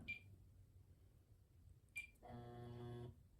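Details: Kenmore Sensor Sew 70 (model 385.1950280), brought in locked up and not turning, motor suspected; first power-on test before teardown gives two short high beeps about two seconds apart, then a longer buzzing tone; electronics respond normally, though the motor doesn't run.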